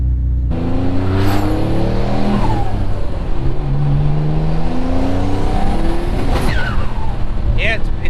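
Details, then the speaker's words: Twin-turbo 3000GT VR4 (6G72, 15G turbos) with new adjustable wastegate actuators, pulling hard in third gear: the engine stumbles and breaks up once boost overshoots. The tune is set for 15 psi, and the owner suspects fuel cut. "it's breaking up in third gear is that just fuel cut because he hasn't set I don't know"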